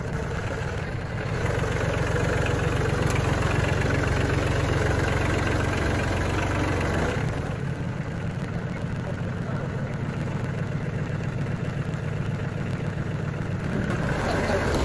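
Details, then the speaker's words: Tractor diesel at low idle during warm-up: sharp, fairly regular ticking about four per second that lessens and nearly disappears once fully warm. It seems to come from near a part labelled oil, and the owner suspects the oil pump; cause unconfirmed. "It's kind of loud though. That ticking will lessen and almost go away once the engine is really warmed up well."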